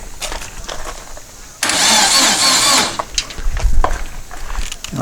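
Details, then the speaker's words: Long-stored dune buggy/sand rail, coil confirmed powered, fuel still turned off: about a second of starter cranking that never catches; the engine turns over but cannot run without fuel. "pretty much guaranteed it is not going to run until i turn the fuel on"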